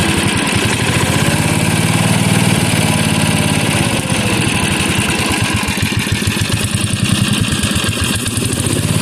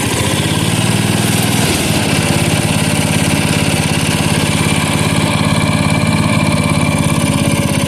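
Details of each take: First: 1977 Bolens G10 single-cylinder at idle with an uneven, hunting thump that never settles. The carburetor still needs tuning and should be rebuilt. It could also use bushings and a throttle shaft. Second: 1977 Bolens G10 single-cylinder restarted. It fires right up and settles into a steady, smooth thump of about 2.5 beats a second, far better than at the start. A permanent battery-to-block ground is planned for faster cranking.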